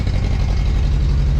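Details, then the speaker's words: Toyota crawler just after an engine swap, first run on its own, radiator not yet fitted: low, lumpy idle stumbling irregularly, no smoke. Owner suspects residual water in the fuel despite fresh fuel and may need to check the timing. "Sounds like there's maybe a little bit of water in the fuel, maybe. I put new fuel in it, but there might be some residual or whatever."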